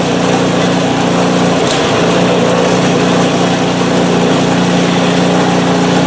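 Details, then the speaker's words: PowerSmart 24" snowblower, small single-cylinder engine, first start after sitting without fuel since 2018: smooth, even, high-pitched run with no misses or knocks; runs great and the auger works. "but anyway it runs great the auger works"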